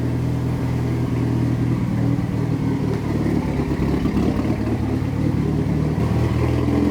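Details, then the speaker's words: Freshly built Mitsubishi Evo 9 at break-in, up to temperature at 172, after two tune edits: deep, steady idle with an even low drone and a light constant top-end clatter; idling smoothly, running like perfect. "The car is like perfect right now. But it sounds really good, bro."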